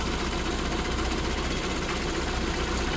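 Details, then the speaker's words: SPI Mini, petrol, engine warm after running a while, coolant 77, inlet air 34, idle dropping, sensors working; even settled idle with soft steady hum, no stumbling; normal warm idle. "the car has been running for a bit now you can see the idles starting to drop down we've got some temperature in this engine now so the coolant says 77"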